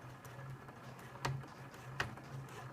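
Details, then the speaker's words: Sewing machine running a slow, low hum with sparse sharp clunks as the needle is taken very slowly across plastic zipper teeth on a zip pouch to avoid breaking it; normal stitching over a zipper. "can hear it just clunking away right and I can speed up again now"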